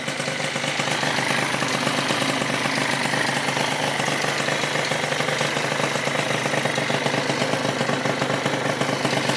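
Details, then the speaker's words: Rebuilt Yamaha Zuma 70cc two-stroke scooter on first start: fast, even buzz at steady idle with no misses, knocks or rattles, settling cleanly; runs like a champ. "Well, damn, boys, she runs like a champ."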